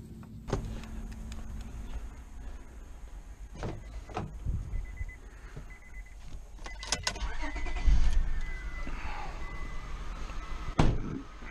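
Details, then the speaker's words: 2001 Honda Odyssey V6 with a flashing check engine light and a temporary misfire code, idling slightly unevenly with a warning chime. Coils are being unplugged one by one: unplugging cylinder 1 changed the idle, cylinder 2 did not. A bad coil or plug is suspected. "all right so we got the engine misfire go back here unplug number one cylinder and that did make a difference"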